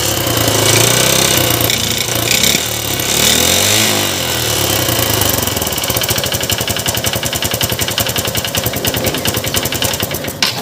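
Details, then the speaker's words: Honda Unicorn motorcycle engine revs then drops to idle with a hard metallic knock about three or four a second; mechanic suspects damaged piston rather than connecting rod before opening. "ऐसे sound दो तरह का होता है एक तो piston का भी होता है कनेक्टिड का होता है"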